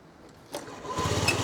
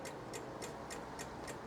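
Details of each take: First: Old Honda Dio 50cc two-stroke scooter after battery replacement (previously only clicked on key start): quick starter whirr, then it catches and settles into an even, steady putter; starts and idles normally. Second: Old Honda DIO 50cc scooter with dead battery, ignition on: quiet rapid clicking about 3.5 per second with no cranking, while the kickstart works; the battery is weak and gets replaced.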